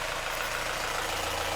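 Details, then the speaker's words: Mazda Miata after extensive engine work, sitting seven months, year-old fuel topped with 91; rough idle with fast even diesel-like rattling clatter over a low throb; source unclear, owner considers it normal, exhaust or intake work planned. "i think this is running the way it's supposed to sounds terrible but maybe we can work on that oh it really sounds like a diesel engine"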